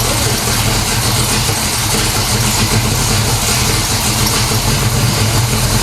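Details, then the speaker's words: 1970 Pontiac LeMans 455 with a Quadrajet and a rebuilt transmission, which previously stalled when put in Drive or Reverse: a steady, even rumble that no longer stalls when put in gear. Normal engagement. "one more yeah but it doesn't stall when you put it in gear now that's true"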